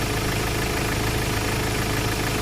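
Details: Ford Ranger XLT, previously cranking with no start from an ECU problem, running after programming: steady, low, even idle rumble with no misses or knocks; healthy normal idle.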